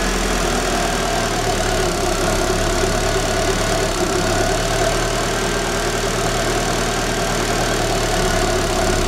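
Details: Daewoo Espero 1994 2.0 L TBI automatic, cold engine at idle: steady low idle with slightly uneven, lumpy beat, no clear knock; rough and tends to stall only when cold, suspected ignition fault persisting after timing belt change.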